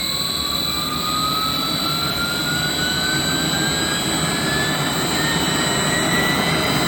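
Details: 3-phase 7.5 HP (5.5 kW) regenerative ring blower used as a CNC table vacuum pump on a 10 HP VFD, after debris was cleaned out: loud even rushing roar with a steady whine climbing as it speeds up, no knocks or rubbing; runs healthy.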